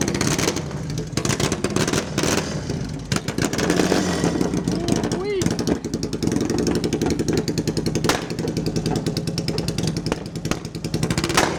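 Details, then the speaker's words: Japanese-style chopper twin, very loud, running roughly with irregular sharp pops and bangs breaking the exhaust beat; owner suspects dirty old fuel, cause not confirmed. "oh popping and banging I think we'll give that one a rest for now okay so uh yeah it starts it's probably got some dirty old fuel in it but this is ridiculously loud"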